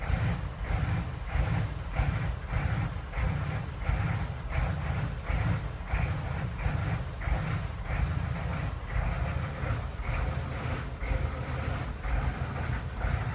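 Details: 6.5 turbo diesel at idle: diesel clatter with an uneven lope, surges about twice a second rising and falling in strength; rough, unsteady idle.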